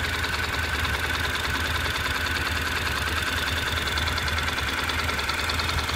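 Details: Honda NC700X at hot idle, fully warmed up: busy, uneven metallic rattle over the engine beat, louder than normal, from the right side of the engine only when hot; origin not identified.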